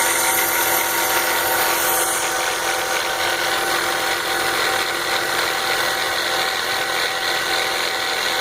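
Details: BMW 325xi at idle: steady fast metallic rattle with bright clatter over an even idle, unchanged when the DISA intake valve is unplugged; engine rattle of unknown origin.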